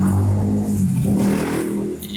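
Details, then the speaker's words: 2009 150cc motorcycle engine, opened twice by a mechanic without cure: dull knock from the lower engine, cause unknown. "ele não conseguiu tirar essa pancada aqui ó [Música] duas vezes abriu e não conseguiu tirar essa pancada comenta aí vocês mecânic aí que pode ser"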